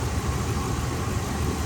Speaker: and the engine's nice and healthy bro no blow by